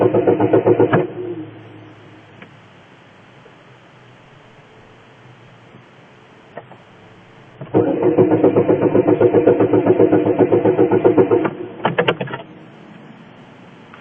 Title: Now it wont start